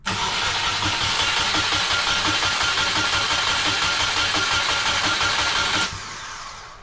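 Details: EJ20 engine in a caged 1995 Subaru Impreza L track car, long sitting with a newly hooked-up harness and questionable fuel: starter turns the engine over evenly at about three beats a second but it never fires; crank no start, fuel pump timing suspected.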